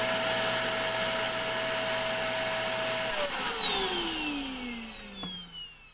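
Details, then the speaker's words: Vacuum cleaner after cable rewind reel spring retensioned, switched on to test; strong steady high motor whine, smooth, then winding down evenly in pitch after switch-off; healthy motor run. "देखें अब जब ब्रेक हटाएंगे तो पीछे जाएगा ये खुद ब खुद इस तरह। इसको ऑन करके देख लेते हैं स्विच लगाकर।"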